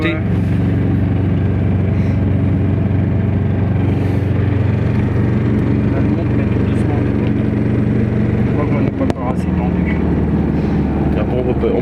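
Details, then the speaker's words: Aixam Crossover microcar driving after its variator and accelerator cable were replaced, since the old ones were worn out; a steady, even drone rises and falls smoothly with speed, with no metallic rattle. "et après le chauffage comment il est là déjà tu vois on entend tous bien le moteur"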